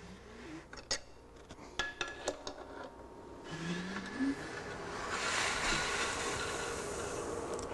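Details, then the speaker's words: Small-block Chevy during rebuild, finger over the number one spark plug hole while turning the crank to find top dead center: after metallic clinks, a rising airy hiss of air pushed out on the compression stroke. "that sound you just heard of hissing air is the air being displaced by the piston and pushing out between my finger and the head"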